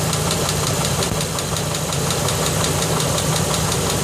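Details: 2004 Dodge Durango 5.7 Hemi V8 at idle: loud fast steady tick, about three clicks a second, that developed overnight; dealer says a lifter but would need engine teardown to be sure.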